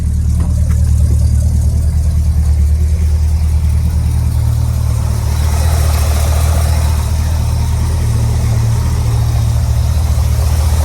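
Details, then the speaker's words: 1968 Ford Thunderbird after fitting a mechanical oil pressure gauge, choke fully off: smooth, even low rumble at steady idle with no misses or knocks; idling perfectly, doesn't need choke when running properly. "Yeah, I just started this car, and literally I took the choke off completely, and it's idling like perfect."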